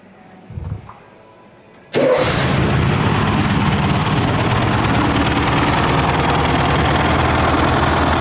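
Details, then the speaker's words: 1964 Karmann Ghia race car with new 1904cc engine, first start on dual carbs tuned by ear: busy, slightly uneven rough burble, rolling black smoke; running rich with unsynchronised carburettors. "I do not like the carbs. Just going to throw that one out there."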